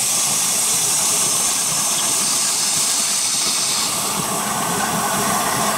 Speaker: start it up some water running reverse today definitely a runner like I said we put this on the end because it don't mind water so much